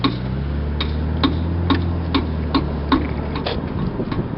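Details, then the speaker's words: 2001 Lexus IS300: sharp regular clicks about twice a second over a low driving hum from the left rear, mostly on right turns; cause undiagnosed. "noise is. It's the left rear from a 2001 Lexus IS300. Why is it making that sound?"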